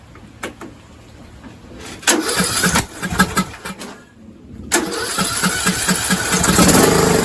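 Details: Six-year-old John Deere lawn tractor, after starter solenoid troubleshooting: starter cranks in short bursts, then engine catches and settles into a steady, even idle; normal start and idle.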